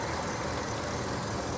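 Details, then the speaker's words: 2010 Ford SVT Raptor, 6.2L V8, 118k miles, idling with hood open, then closing hood: smooth, even low rumble, no ticks, knocks, smoke or weird sounds; normal idle. "sounds like it should closing the dash or the hood there we go looks like a noob opening that hood you hear it no smoke no nothing no weird sounds just perfect"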